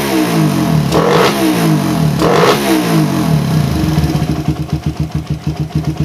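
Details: Suzuki Satria FU, standard daily bike, fitted with new PE 28 carburetor: two hard revs, then an uneven, lumpy idle puffing irregularly. Air screw set for highest RPM at one turn; idle still slightly unstable.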